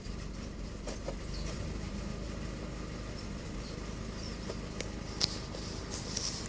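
Small petrol engine idling with a slightly uneven, lumpy beat over low rumble; rough idle, cause not obvious by ear.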